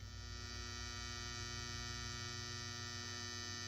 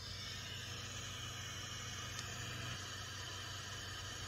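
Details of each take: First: Modified sine wave inverter powering an audio practice amp: loud, harsh mains-type buzz with many stacked tones, shown for comparison with a filtered pure sine inverter. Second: Bestek 300W pure sine wave inverter feeding an amp through an AC line filter and type 31 ferrite beads on the output: only steady gain-stage hiss remains and the inverter switching buzz is gone, with no changes to battery grounding.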